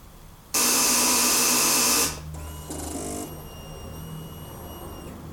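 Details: Kawasaki ZX6R 2006 after winter storage with battery reinstalled: harsh loud buzzing rasp for about a second and a half, then fainter whirr and whine; cranks but won't start, FI light on, Exup apparently working.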